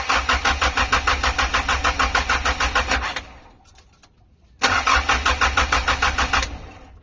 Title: Stock Up Car Engine So it Won't Start#stockup #engine #car #shortvideo